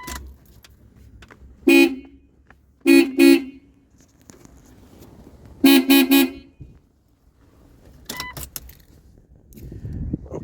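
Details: Jeep Cherokee XJ after replacing the old horns with a new Harbor Freight horn kit and cleaning corroded terminals: short loud honks in bursts, a strong clear two-tone blare, even and full. Horns working properly.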